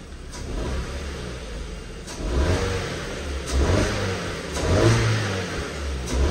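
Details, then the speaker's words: Ford Fiesta salvage car with suspected flood damage, with stored codes and a suspected issue on cylinders 1 and 2: engine blipped several times, revs climb and fall promptly and smoothly, not sluggish, no misfire or rattle. Normal revving. "well it's actually running a while it's not [Music] sluggish revs up really well"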